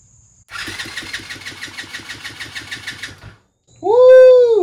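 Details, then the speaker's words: TaoTao 110cc ATV engine after a full top-end rebuild with new piston, rings, sleeve and valves: even, strong cranking pulses at about five per second, healthy and consistent compression, measured at about 155. "let's uh go ahead and turn the start over make sure it sounds good sounds healthy"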